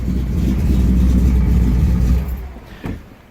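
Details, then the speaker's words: Ford F100 with freshly built 408 cubic inch Windsor stroker small block: deep, steady V8 rumble with an even firing pulse, fading out smoothly at shutdown; normal healthy running. "Oh yeah, that sounds sweet."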